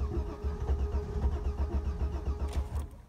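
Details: 2000 Vectra B GSi 2.5 V6, off the road since March 2017, very low fuel; starter churns steadily about four pulses a second without catching; long crank before it finally starts, owner suspects fuel supply.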